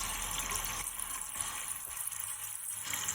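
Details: Mansfield toilet after a plunger gasket repair, tank refilling: a steady, even, unbroken hissing rush of water with no sputter; the fill valve works and nothing leaks into the bowl.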